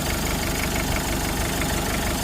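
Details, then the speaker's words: 1996 Mitsubishi Strada 2.5 turbo diesel pickup, stock turbo, 12 mm pump, warm engine: starts easily, steady even idle with no stumble or surging; normal healthy idle. "อื้อหือติดง่ายนะครับเดินนิ่งไม่มีหอบปั๊มสายนะครับ"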